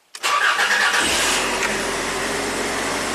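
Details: Cranking test during a jump starter/tester demo on a vehicle; cranking voltage about 10.4 V. Brisk crank under a second, then it fires and runs smoothly and evenly; normal cranking and start.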